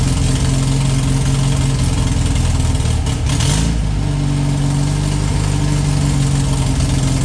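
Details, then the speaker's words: VW flat-four for a 1958 Beetle, rebuilt from parts and of unknown last run, runs on fuel poured into the carb bowls. Its idle is uneven, stumbling and dipping, then catches again as oil in the cylinders burns off with heavy smoke. "A lot of burning off, a lot of smoke coming out of it."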